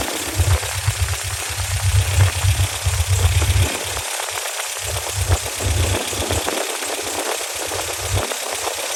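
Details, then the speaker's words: 1987 Toyota pickup 22R four-cylinder, carbureted, after fixing vacuum leaks and replacing the fuel pump, while setting timing at 950 rpm idle: warm idle with a steady low chug and no knocks or misses. "well she is running much better"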